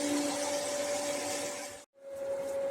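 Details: Bestway 58515 sand filter pump on a 366x76 cm pool, switched on during the backwash/sand-settling cleaning procedure. Steady hum with a clear mid-pitched motor tone and water rush, brief cut midway; normal, healthy running.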